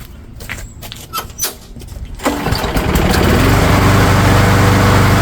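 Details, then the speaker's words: Craftsman lawn mower engine during tune-up, three primes, original spark plug refitted to compare with new one; recoil pulls then uneven popping run, still popping with either plug, cause unconfirmed. "You know, I don't remember the popping with the other spark plug. Let's pop that other spark plug back in and see if it still pops."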